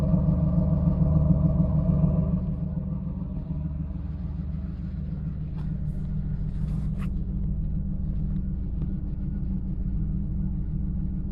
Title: LS1 Misfire